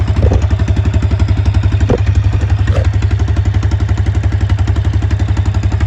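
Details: Honda small single driving what is believed to be an Eaton series 11 hydrostatic transmission in a homemade inboard boat; owner says it runs poorly, carburetor not checked: lumpy, slightly uneven beat near four pulses a second; rough running, cause unconfirmed.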